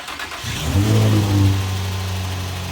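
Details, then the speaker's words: 2008 Infiniti FX35 after replacing both accessory belts, car jacked up: starts and settles into smooth steady idle with no belt squeal or chirp; alternator charging, belt tension probably adequate. "Looks pretty good, and it sounds good too. And I checked the voltage, and the alternator is charging the battery, so I know that that belt is probably tight enough."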